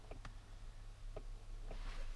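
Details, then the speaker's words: 1993 Chevrolet C4 Corvette: faint, irregular clicking from inside the dash over a low electrical hum, suspected heater blend door actuator; the climate self-diagnosis shows no fault code, so the cause is unconfirmed. "i can hear the blend door clicking"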